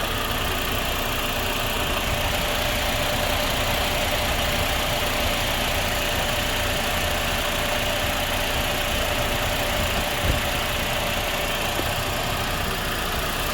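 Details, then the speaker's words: 2009 Toyota Corolla AC compressor, not the correct fit for the car, engine idling: rough irregular ugly rattling that doesn't settle; compressor has internal damage, to be torn down. "prior to that very noise which you guys are hearing on that AC compressor, which I showed in the video before, I know definitely the compressor has internal wreckage, so I'm going to be tearing the compressor a little bit apart so I can see, because I've heard that kind of noise before, that very ugly rattling noise."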